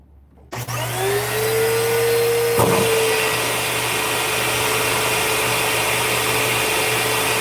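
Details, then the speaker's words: Vacuum cleaner, plate off, running for a tissue suction test: motor spins up to a steady, even whine and holds pitch without rattles or surging; suction seems fine, motor runs normally. "I don't know. Suction seems fine."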